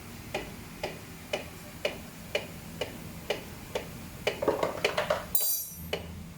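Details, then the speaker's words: Kawasaki Ninja 650 (ER6N) wheel turned by hand: light tick about twice a second following wheel speed; brake caliper bracket loose because the wheel axle is under-tightened, to be fixed by tightening. "Nah, jadi motor ini ada bunyi-bunyi. Ternyata yang bikin bunyi ini adalah bracket kalipernya nggak kenceng."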